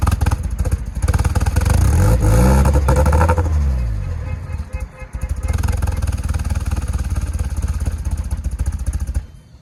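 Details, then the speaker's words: Nissan S14, untuned: lumpy, uneven idle stumbling and surging through blips, never settling, smelling of dumped fuel and blowing a smoke ring; running rich, needs a tune. "Dude, when we started it, It smells like it is dumping fuel for sure. It shot a little air of a ring. Shot a ring."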